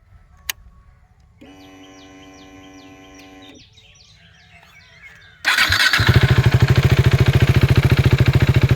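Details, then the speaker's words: 2016 KTM RC 390 BS3, about 29,000 km, recorded with mic removed: engine starts promptly and settles into an even, steady thumping idle with no knocks or rattles; healthy, though a small vibration comes from a bolt. "അപ്പൊ ഇതാണ് വണ്ടിയുടെ starting sound കേട്ടോ"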